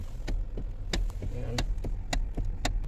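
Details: Hyundai i30 steering clunk, heard from underneath with the car running, while turning: irregular sharp clunks, several per second, over a low rumble from a worn spider bushing in the steering coupling, a common Hyundai problem.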